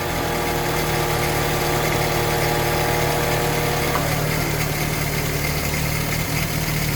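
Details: 1962 Land Rover Series 2A 2 1/4 petrol four-cylinder after 10+ years sitting, new leads fitted: about four seconds of cranking, then catches into a steady, slightly lumpy idle.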